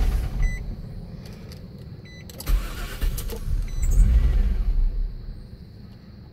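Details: 2002 Nissan Maxima SE that sat a week unused, cranking on a new battery after the old one drained: chime, then short bursts of cranking that never fire; crank, no start.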